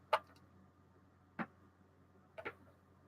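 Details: Sparse, irregular sharp clicks over near silence from a Geiger counter held to an item, reading about 4.91 microsieverts; the counter responds normally.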